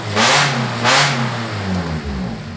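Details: Cheap car getting a budget engine swap, started using a Yaris key transponder for the immobilizer after failed attempts: the engine catches and revs cleanly in two quick blips, then settles back with an even note. It runs normally with no stumbling.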